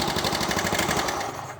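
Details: Yamaha Mio Soul scooter that was hard to start with carburetor backfiring, tested on its original CDI after ignition timing was suspected: fast, even firing pulses with no pops or backfires, then fading; runs cleanly.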